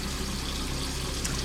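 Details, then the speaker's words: Plumbing after replacing leaky strainer and pipes, hot water tank bypassed, pressure pump system: faucet water spits and gurgles in irregular bursts; air still in the hot water line, faucet sputtering. "I guess there's some air in the hot water line still."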